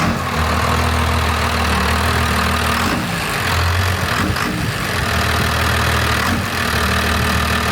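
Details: 1992 Dodge diesel pickup after advancing injection pump timing: loud steady diesel clatter with deep even idle rumble, no misses; idles smoothly after the timing change.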